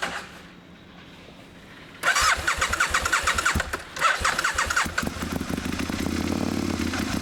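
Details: Aprilia Mille R V-twin at first startup: fast light metallic ticking and knocking over the uneven twin beat, source unknown.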